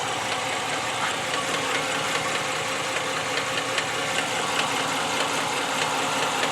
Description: Ram 2014 5.7 engine knock